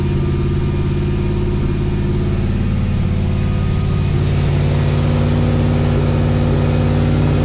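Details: 1979 Lil Red Express truck just started after six months of winter storage, warming up at the storage unit: steady, even V8 idle with smooth low rumble, no knocks or misses; healthy warm-up idle.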